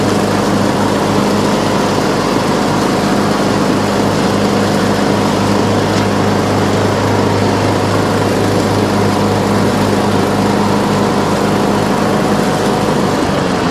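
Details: Troy-Bilt Pony riding mower, revived from scrap after electrical and steering repairs, all 7 speeds and blade brakes working: steady, even single-cylinder drone at constant low pitch, no misses or rattles; idle is down great, normal.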